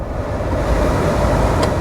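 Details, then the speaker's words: Mazda 2, 130,000 miles, cheap used car inspection: steady even rush of air from heater blower on all speeds, no ticking, rattling or speed wobble; blower fan healthy. "fan works on all speeds"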